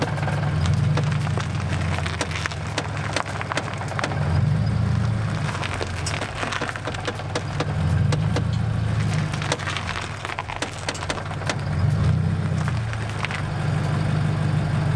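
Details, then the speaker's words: Subaru BRZ idling while the wheel is turned: sharp, irregular clicks and pops from the passenger-side front corner. It also clicks over hills as preload changes. Wheel removal showed nothing. Owner suspects the coilover spring is not seated in its assembly. "because every time I turn the wheel and it makes like a like a clicking noise"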